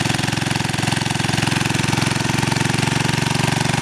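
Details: 2000 W generator running on woodgas with a heat gun/heater on high: rapid steady firing pulse, three or four beats a second, even under heavy load; runs smoothly but woodgas loses power, about 1000 W deliverable, reduced RPM near 50 Hz at 1400 W.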